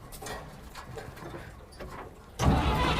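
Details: 1950 GMC inline-six (248 or 270) being cranked to test the starter: slow uneven turning, then a sudden loud steady grinding whirr that keeps going, with the starter stuck engaged and not releasing. The engine still lacks a rotor and plug wires.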